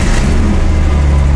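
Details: Car exhaust before repair with exhaust putty, tape or clamp: loud, deep, blatting drone at idle, too raw for a sealed system, gas escaping early; exhaust leak.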